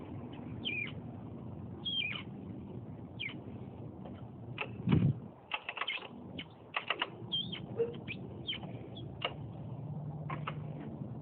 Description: Squeaking noise when compressing rear suspension.